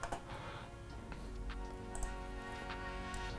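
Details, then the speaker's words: Hard drive after a powerful magnet was brought near it: disc spins with a steady hum while sharp irregular ticks repeat, the head moving in and out; computer won't read the drive, possible damage, not confirmed. "I don't know if you could hear that ticking sound inside I'm not 100% sure what that means"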